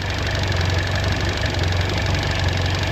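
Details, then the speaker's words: Mercury 4-stroke outboard on a Ranger boat after an oil, filter and fuel filter service. Steady, low, even idle hum with faint light ticking from the fuel injectors clicking: normal idle. "I'm sure on the lake they just sound so different to me. It's weird. Like, you hear the clicking of those fuel injectors, and then, you know, it sounds like a"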